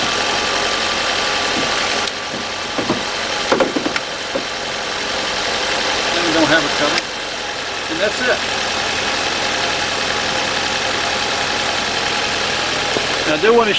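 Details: RV engine after a dead battery on a frosty winter morning (down to 21°F overnight), started with a NOCO GB70 jump starter in normal mode, no booster needed: catches and settles into a steady, even idle with no misses or knocks.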